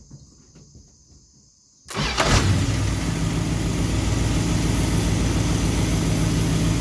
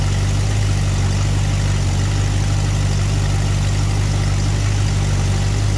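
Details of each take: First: Engine restarted hot after sitting a few minutes, once the distributor's total timing limit was reset, listening for starter kickback. Quick clean start with no kickback or struggle, then a steady even idle; normal hot restart. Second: Engine idling at about 1° initial advance with the vacuum advance port plugged, before advancing to 12°. Low, heavy idle rumble with a slightly uneven loping beat near once a second; rough idle from retarded ignition timing.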